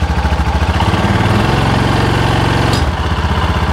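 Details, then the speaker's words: Cub Cadet Challenger 500 UTV (HiSun), believed to be a 2013, won't move after the customer replaced the wet clutch. Revved in neutral, it surges lumpily about twice a second and jerks instead of climbing smoothly. The primary clutch can't be turned by hand. CVT primary clutch failure. "you can see that jerking not want to do anything so there's something going on with this clutch"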